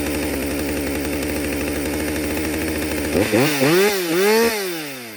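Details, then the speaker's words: Husqvarna 562XP chainsaw, after the shop reflashed its software for dying when hot and stumbling, warm-restarted after a lunch break and refuel: steady, even two-stroke idle with no hunting, then a few crisp throttle blips that drop cleanly back; normal idle. "hey everybody love this idle this is a real scenario took a break took a lunch break had some water fueled it up need a rest let's see if this saw will run in idle"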